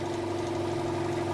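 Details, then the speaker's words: 200 L 3 hp single-phase compressor, warm oil, thicker belt fitted after earlier slowdowns suspected to be a slipping belt. Steady, even pumping drone and constant mid tone with no stalling or slipping chirp while the motor spins constantly: building pressure normally. "I mean the the the the actual electric motor was constantly spinning which is a good thing because it means because the electric motor is what spins this"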